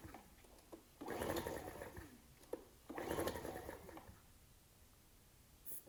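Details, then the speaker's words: Ryobi RIG1000 inverter generator, old varnish-smelling fuel, on spray starting fluid, choke on and off: two long pull-start cranks, quick chugging rattle dying away; cranks but does not start. "i'm just going to try and start it on this spray starting fluid i know that's not good for engines but i didn't want to commit to putting fresh fuel in this machine just in case it had a problem i was trying all sorts of choke on choke off that's a good"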